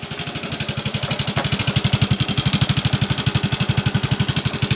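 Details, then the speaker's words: Yamaha Mio M3 125 with a noisy engine and hard starting after late oil changes (it ran with no oil): rough, slightly uneven single-cylinder idle thumping about four beats a second; thin blue smoke when revved high, indicating a worn cylinder block. "Jadi saat dia digas putar tinggi, dia langsung ngebul ya asapnya ya. Berarti dia kena di bagian bloknya ya."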